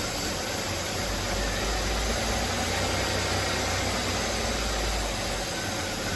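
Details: 2004 Buick LeSabre after misfire repairs plus a new belt, battery and thermostat, on a test drive: an even, steady engine drone under road noise with no stumbles; check engine light gone, coolant temperature normal.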